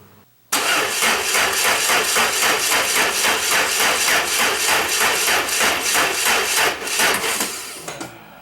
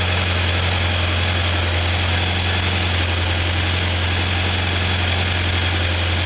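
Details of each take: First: 1994 Saab 9000 with no-start and idle problems, new injector parts, secondary air valve leak plugged: steady cranking about three and a half pulses a second that sags and fades; weak battery only lasts about a minute and a half of cranking. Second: 1994 Saab 9000 after injector work, plugging the failing secondary air injection valve's vacuum leak, and a new battery: engine settles into a steady, even idle with smooth low rumble and no misses; runs normally now.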